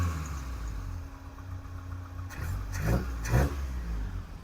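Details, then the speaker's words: 1984 Toyota Hilux 4x4 carbureted engine after new spark plugs and fuel filter: lumpy idle, small throttle stabs pick up sluggishly with slight hesitation but no backfire (previously backfired); owner suspects poorly tuned carby, smells fuely, possibly running rich. "it's not backfiring it's got a little bit of a hesitation when you just give it little stabs but that could be just a poorly tuned Carby"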